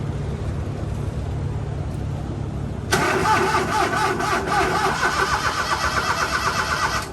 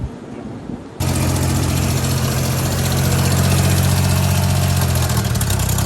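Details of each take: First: HiJet mini truck after head gasket, timing belt, water pump, bearings and valve cover gasket replacement, fresh oil and coolant, fuel still priming: starter spins briskly and steadily for about four seconds, but the engine never catches. It cranks but won't start. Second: Daihatsu HiJet mini truck, previously hard to start with blow-by into the radiator and coolant leaks. After replacing the head gasket, timing belt, water pump, bearings and valve cover gasket, it starts and settles into a steady, even, smooth idle with no knocks or misses.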